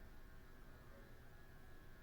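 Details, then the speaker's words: Vintage 80s/90s 38-inch Hampton Bay Southwind ceiling fan on a fan control switch, running on low: quiet steady electrical motor hum; spins slowly with slight wobble, suspected bearing problem. "And here's low. Still hums. That's pretty bad."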